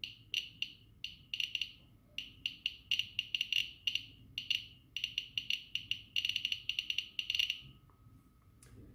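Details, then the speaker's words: Geiger-Müller counter board, 5 V, GM tube; alpha source from a disassembled smoke detector placed close to the tube; crisp high ticks in fast irregular bursts, far busier than random background clicking, rapid clicking from radioactive source. "now you could hear it that if you have some radioactive source close to the tube at least in the case of the alpha radiation then the clicks will be more frequent"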